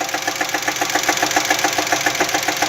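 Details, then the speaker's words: Jeep Cherokee engine at idle: fast even valvetrain-like tapping ("tec tec") with misfire and rough uneven idle, noise worsening after new spark plugs and twice-cleaned injectors; owner suspects broken rocker arm, may pull cylinder head; cause unconfirmed. "aí o carro continuando aquele barulho que eu vou daqui a pouco vou te mostrar tektek falhando tec tec e falhando"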